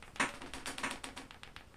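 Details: AR-15 buffer rattle, comparing a Bullterrier fired only seven test rounds with an original Schmeisser 15 carrier fired over 1000 rounds. Quick, bright metallic clacks as the loose buffer weights rattle when shaken; the two sound practically the same. Normal buffer rattle, nothing wrong.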